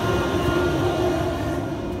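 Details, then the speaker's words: Air compressor at first start-up of the day: steady, even motor hum with a constant mid-pitched whine that settles in after a second or two and holds level, air blowing out the right way; normal running. "You'll hear that whine on it. See the air blowing out the right way, and you hear the whine sort of settled in after a second or two there. So anyway, maybe I'm not losing my mind."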